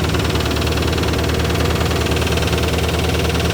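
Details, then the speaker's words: Chevrolet Corvette V8 idling just after a full exhaust install, with heater core hose removed and pipe plugged; loud clattering and a rapid, uneven ticking puff over the exhaust note; definitely an exhaust leak underneath, and the owner may pull the valve cover. "I don't like that noise at all. It might go away. Sounds better. Definitely exhaust leak down there."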